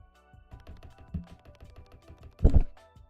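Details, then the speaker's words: Keyboard spacebar after a basic mod adding a little car dampener: soft, deep taps end in a full, muted, creamy thock with no rattle or chatter. "like that is the difference from me very basic mod and it makes your space bar sound so freaking gold like Goldilocks like creamy it sounds great"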